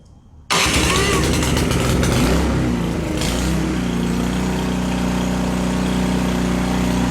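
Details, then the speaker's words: Canadiana snowblower with a Briggs & Stratton 800 series engine, started after an ultrasonic carburetor clean: it catches and runs, but the speed hunts up and down. The spark plug confirms the engine is running very lean, a lean surge. "Alright, so after putting this thing all back together and firing it up, it's running, and that's a good thing, I guess, but it's running very poorly. It surges up and down."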